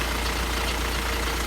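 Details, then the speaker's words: VW T5 diesel van idling just after start on a fairly warm day, with a dense, uneven rattle over the low drone; the noise is worse when cold and quieter once warm. Failing dual mass flywheel suspected. "it's a sort of a rattling noise really okay and that's a telltale sign"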